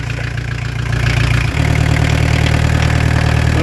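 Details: Diesel camper van after turbo replacement, started on open exhaust: steady low rumble settling into even idle, no turbo whistle or extra noise; didn't stall, sounds healthy.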